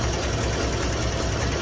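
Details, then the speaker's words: 1957 Chevy Bel Air V8 on its first run in 30 years, fed from an external fuel tank: uneven, stumbling, lumpy idle running rich because the choke is stuck too far closed; owner hopes the heat spring opens it, otherwise will open it manually. "uh i had a little problem with that joke it was choking too much so"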